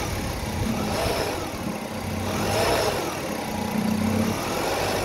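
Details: Hyundai Grandeur or Kia Opirus, engine running in drive with steering turned and throttle blipped: uneven rattly chatter over idle from the shaking serpentine belt auto tensioner; fix is rerouting the belt.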